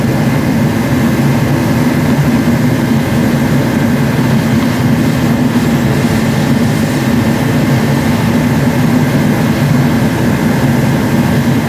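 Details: Forced-air diesel/kerosene heater after air/fuel pump repair, pressure at 12 psi, fuel two years old and suspected of holding water: constant deep roar of fan and burner with no sputtering or surging throughout; running properly.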